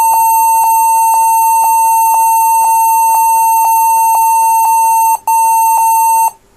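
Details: HP 14s-cf2 laptop beeping repeatedly, about twice a second roughly a dozen times, after battery removal reset the BIOS to Legacy mode. The fix is to set the BIOS to UEFI boot and use a GPT partition on the HDD/SSD.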